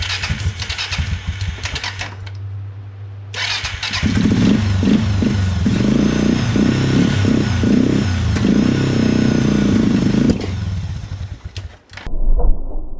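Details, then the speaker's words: 2000-ish Suzuki LTF500F Quadrunner 500 bought backfiring and sputtering, started on starting fluid: cranks, catches in ragged sputtering bursts and dies; the tank wasn't feeding the carburetor, later traced to a faulty vacuum petcock. "so here i basically saw that fuel tank wasn't giving the carburetor any fuel so i hooked up a test tank and got it started"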